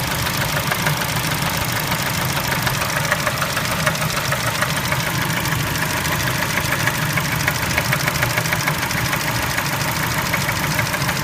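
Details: Spectra engine at idle: a sharp, even tapping knock a little over three times a second sits over a steady idle; engine knock at idle, cause unclear.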